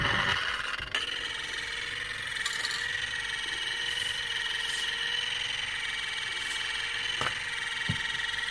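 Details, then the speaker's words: EBM-Papst M4Q045-CA01-09 shaded-pole fan motor (230VAC 50Hz, 1300 RPM, sleeve bearing) from a Frico 2 kW heater fan: steady hum with rough high hiss and occasional clicks, sounds bad and stops; owner guesses bearing problem, much shaft play. "Yes sounds bad and there we and there it stopped so yeah it's a bearing problem I guess"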